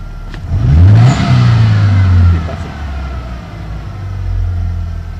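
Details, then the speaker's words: 1991 Ford Ranger 2.3, boggy and misfiring since a cam belt change, after cleaning the EGR valve and MAF. Low, uneven, lumpy idle with a rev surge, only slightly better. Owner suspects the idle control valve; also plans to check valve timing and the ignition module. "might have to do the ID control valve again because it's kind idling kind of hard"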